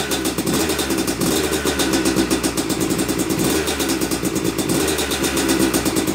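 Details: Yamaha YZ250 two-stroke motocross bike (270cc/250cc), first start after year-long full engine rebuild (bottom end, transmission, bearings, clutch, power valve): crisp buzzy firing rising and falling cleanly with throttle blips; took a few kicks, normal; heavy smoke normal from assembly oil; healthy running.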